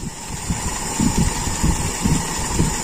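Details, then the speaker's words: Toyota Kijang Super with a carburetor under diagnosis: an uneven, lumpy idle pulsing about twice a second, with some beats stronger and noticeable vibration; still running rough. "teman-teman bisa mendengar ya suara perubahan mesin ataupun getarannya ini sih menurut saya masih kasar ya"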